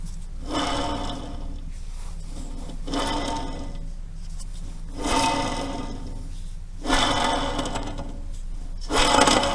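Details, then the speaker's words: Rough, gritty rasping in bursts as the raised wheel hub is spun by hand. It is clearly heard once the hub is disassembled, pointing to a worn wheel bearing. "Теперь этот звук вообще прям отчетливо слышно. Это шумит ступичный подшипник."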